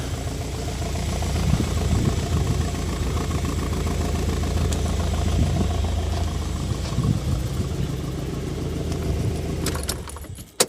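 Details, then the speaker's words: 1990 Toyota MR2 Mk2 JDM, stood over 20 years: low idle with a lumpy, uneven rhythm, a beat dropping out every so often; owner suspects running rich, maybe the coolant temperature sensor, plugs not yet done; misfire at idle. "you can hear it there it's just missing a little bit"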